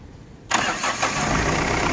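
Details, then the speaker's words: Mahindra Bolero Pickup maxi truck diesel, about 3 lakh km, after overhaul with new liners, fully warm: switched off and restarted, brief crank then fires straight away into steady even idle, no misses or knocks; normal hot start. "ਬੰਦ ਕਰਕੇ ਕਰੀ start ਚਲ ਲਓ ਜੀ starting ਵੀ ਬਿਲਕੁਲ okay ਆ ਗਰਮ ਹੋ ਗਏ"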